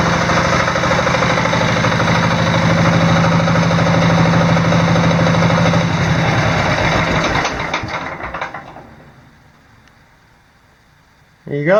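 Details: Diesel Sears off-road mudding tractor with a newly installed alternator (60 A per its certificate): a steady, even diesel chug at about two and a half beats a second, then it winds down and stops. It runs healthy under charging load, with the battery reaching about 13.1 V.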